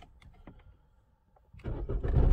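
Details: 2002 Opel Corsa 1.7 CDTI diesel, code P0251, previously stalling and not restarting hot at 90°C: a few faint clicks, then it cranks and fires almost at once on a warm start after repair.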